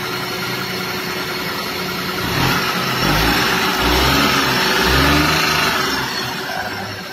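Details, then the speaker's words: Car engine idling after tappet (valve clearance) adjustment: smooth, even idle with a brief rev rise and no valve tick or clatter. Before adjustment it ticked loudly and lacked pickup and power. "So sekarang ni TEC dah tak bunyi. Enjin still running."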